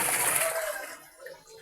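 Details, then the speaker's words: Astron single-tub washing machine with water in the tub, after repair of a loud gravel-like grinding during pulsator spin; water sloshes and splashes with no grinding: normal quiet wash. "Maganda na po ang kanyang pag-ikot at nawala na po ang kanyang ingay."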